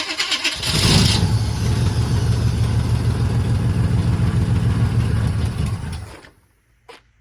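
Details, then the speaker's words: 1980 Chevy K30 squarebody small-block 350 carbureted V8 after installing a new relocated starter solenoid, choke not hooked up: starter cranks, the V8 catches and chugs unevenly for about five seconds, then dies while still pulling fuel. Fires briefly and stalls. "Did it die? Yeah, well, it's still pulling fuel."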